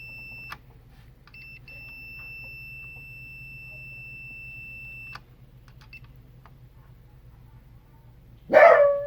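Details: Sony XBR 65X850E TV that won't turn on, power supply buzzing: multimeter continuity test on a discoloured, overheated power-board Schottky diode in circuit gives a steady high tone for about four and a half seconds, showing the diode is shorted.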